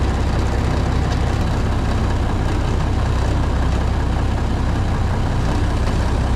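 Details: Classic White Freightliner COE wrecker with Eaton Fuller Road Ranger transmission, cold start in freezing weather: deep, steady diesel rumble at an even idle, no knocks or misses, good oil pressure.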